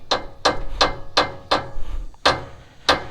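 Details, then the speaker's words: Toyota Tundra, both sway bar end links loosened: the freed stabilizer bar slaps around with irregular metal smacks, about seven in three seconds. This is the noise broken end links make, typically when they snap at the metal shaft. "so by loosening both end links you can see the stabilizing bar just kind of flaps back and forth and when they break they actually make this noise"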